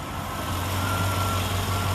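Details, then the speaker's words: LT1 V8 just started after throttle body coolant bypass hose change: steady even low idle rumble, no misses, knocks or stumbles, running good; normal idle. "yeah I got exhaust Li well it sounds like it's running good"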